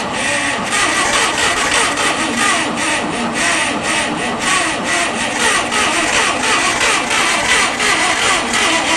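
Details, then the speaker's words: Abandoned Farmall 460 tractor with updraft carburetor, weak battery and suspected float problem: uneven stumbling firing with surging and sputtering, never settling to idle; won't stay running, owner suspects fuel starvation, carb kit needed. "oh damn it it's a fuel issue for sure it's like not getting enough fuel which is ironic cuz it's getting so much fuel to the ground"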